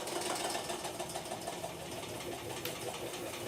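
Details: Electrolux LTE06 6 kg washing machine during the spin cycle: harsh, uneven grinding rattle as the drum tries to spin up, like stripped coupling teeth slipping instead of locking in, sometimes very loud; worn drive pulley coupling.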